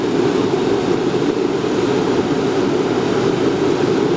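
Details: Riello RS38 forced-air gas burner, medium power, during its start sequence: steady, even fan roar at one pitch with no flame yet; normal pre-purge before ignition.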